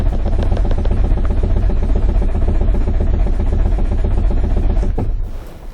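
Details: 2005 Nissan Sentra 1.8 with P0304 misfire, relative compression test, throttle floored: steady starter cranking about two beats a second with even pulses, no start attempt; cylinders roughly matched, two slightly lower.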